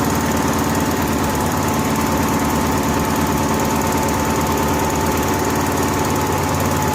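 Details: Honda gas-powered AEC welder generator with a history of fuel-starvation stalls, running warm on a temporarily plumbed electric fuel pump jumpered straight to the battery: steady, even single-cylinder chatter at constant speed, no misses or surging. Runs normally.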